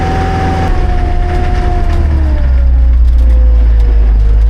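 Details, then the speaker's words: Amphibious diesel ATV on dry flat ground, lever pushed for more torque: deep drone whose pitch sags as load comes on, revs sinking toward a stall while barely moving; engine bogging under load. "But it just bogs right down anyway. You hear that? We're barely moving."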